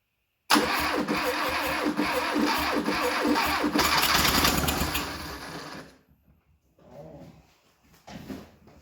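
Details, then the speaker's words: 1972 Fiat 850 Sport Spider, a barn find off the road for 22 years, started on a jump box with fuel poured down it: catches and runs rough for about five seconds, then dies as if starving for fuel; the fuel supply still needs sorting. "Oh, we might have a runner. I think we put just the wrong amount of fuel down it, so she sounded pretty good."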